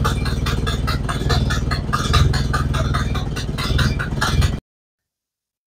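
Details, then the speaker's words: Model A Ford cold start after sitting about four months, old ignition parts from around 1970: low, lumpy idle with uneven beats and occasional stumbles, running worse than in January. "mixed results on that it started didn't run as good as it did in January but uh that's not much of a surprise"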